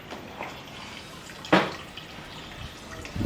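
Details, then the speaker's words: Sharp air cooler (radial fan) under repair, water flowing through the filter-like cooling pad and back into the tank; soft trickling and scattered drips with one brief knock: normal water circulation. "And now it's going through this filter-like material, and I actually can see that it runs back into the"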